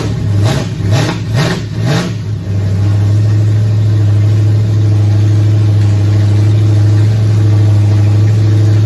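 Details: Nova race car V8, first fire-up in 38 years after priming fuel system, timing being set: four quick throttle blips then steady, deep idle without knocks or ticks; runs cleanly, but coolant leaks found at water neck housing.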